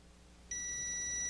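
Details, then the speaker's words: GORF arcade ROM/RAM board: continuity beep holds solid between pin 1 and pin 23 of the ROM sockets, which should not be connected, before desoldering the socket to find the short; short circuit between pins. "you can hear the short. All right, I can put it down here. You can hear it. Pin 23, pin 1. Pin 1 is supposed to be connected, but 23 is not supposed to be connected to 1."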